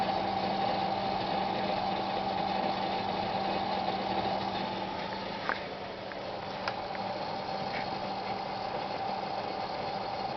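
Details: Seagate Barracuda SATA 2 5400 hard drive, recent strange noise: steady low hum and thin whine broken by occasional sharp clicks, though software tests show good performance.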